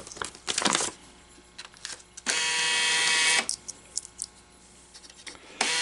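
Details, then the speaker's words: American Changer first-generation green stripe coin hopper, after disassembly, gear change and regreasing with synthetic clear grease, run with two coins; short motor runs with mechanical whirr and light rattle, no grinding; normal. "Not bad. It's about how they should sound. They're never going to be dead quiet, guys."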